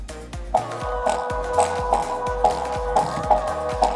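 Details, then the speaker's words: JBL Flip 2 Bluetooth speaker playing music thin and quiet with rough crackle on every beat; low volume and crackling blamed on a bad rubber surround ring on the driver. "So the sound is not coming properly. The crackling sound is coming. So I am playing it again so that you can notice the crackling sound. I think the complete ring of the speaker is bad."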